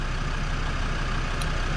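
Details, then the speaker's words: Land Rover Defender TD5 diesel idling warm at 60° coolant temperature; steady, even rumble with no hunting, running perfectly. "It is now running absolutely sweet as a nut. 60° on the coolant temp. I've had it running for quite a while now. It's come up from like 30 and yeah, it's been idling, as you can hear, perfectly."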